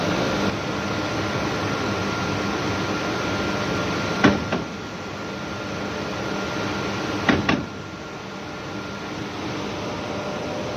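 Steady electric drive hum with a thin high tone, broken by two heavy clunks about three seconds apart; abnormal drawworks noise, source unclear.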